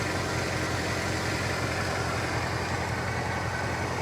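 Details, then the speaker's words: Mercedes 550-series car at a salvage auction (about 100,000 miles): a steady, smooth idle with no ticking, knocking or stumbling. Normal idle. "yowza the engine does sound good oh it looks good too"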